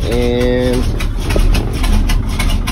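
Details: Truck rated to haul 26,000 lb, cold start at about 60°F after sitting, fuel pumped, out of gear, choke on, started without a jump: low, slightly lumpy idle steadying over a few seconds; normal cold idle on choke.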